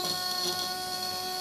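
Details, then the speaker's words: Relay wired as a tickler on 12 V DC, self-oscillating: a steady, harsh buzz at one fixed pitch as the contacts chatter and arc continuously. Jumping 12 V across the coil stops the buzz and fully energizes the relay. "so i'll just turn it back on again now this relay is buzzing"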